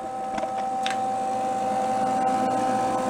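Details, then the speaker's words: Old roadside-discarded Lincoln 110 V welder welding: steady mid-pitched hum with faint high tone and short crackles; runs at full power and burns through though set on B, with the power selector stuck. "it seems like it's all the way up like being on b should be like the lowest power i think and it's burning through"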